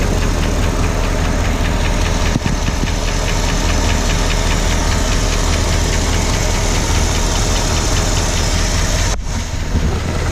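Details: 1965 Ford Galaxie with 352 FE V8, recently started: steady idle with a fast, light ticking over the low rumble, source still being traced.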